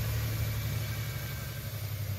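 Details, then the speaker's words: 2000 Toyota 4Runner with failed fuel injectors, running on vaporized fuel fed through mass airflow sensor: low idle with uneven lumpy pulse; idle misfire, owner suspects more airflow through MAF may fix it. "idols still has a misfire but I think I might be able to fix that by getting this mass airflow sensor with more air flowing through it"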